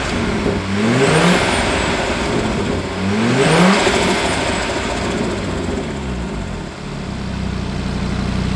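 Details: Audi RS3 DAZA five-cylinder engine warming up on first start-up during coolant bleed, temperature only 28 degrees: two quick revs rise and fall cleanly, then a smooth steady idle with no tapping or misfire.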